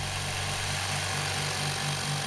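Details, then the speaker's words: New Rocwood workshop air compressor, first run pumping up to full pressure: steady even pump drone with soft regular pulse, no knocks or rattles; running smoothly. "I'll leave the pump running until it gets up to full pressure and I'm not going to speed up the video that will give you a very clear indication of how long it takes to get up to the 4 PSI"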